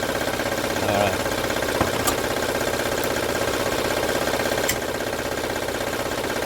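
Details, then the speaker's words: 2006 Honda Odyssey at idle: steady, loud light rattle about three per second. Timing belt rattle. "Ok el ruido máximo que yo escucho viendo por acá pero vamos a ver de dónde verdaderamente voy a abrir las tapas para ver cómo está la correa de tiempo"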